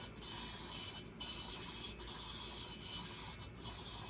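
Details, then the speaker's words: VW Beetle cylinder head, valve number 3 lapped with a drill, compound cleaned off, turned to check seating: even dry scraping with short pauses between turns and no catching. The seat is smooth all the way around and properly lapped. "Okay, I cleaned all the compound off. Hear how it's smooth all the way around."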